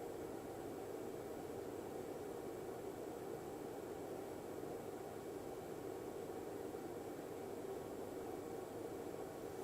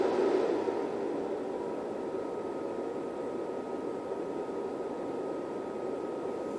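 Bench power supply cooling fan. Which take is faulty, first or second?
second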